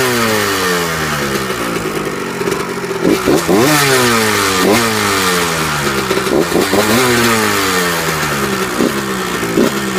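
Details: 1998 Kawasaki KX125 two-stroke: slight metallic ticking and rattling riding over the exhaust note when started and on each rev; owner asks for help, cause unknown.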